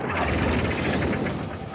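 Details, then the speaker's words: Homemade mini Jenny JN4 WW1 replica aircraft engine unstarted for 13 years, switches on, throttle set, prop hand-swung from outside: slow uneven chuffing with a few near-catches but no steady firing; cranks without starting. "I think it kind of sounds like it wants to good rock tired already and clear prop nothing okay I don't even know if I'm doing this right"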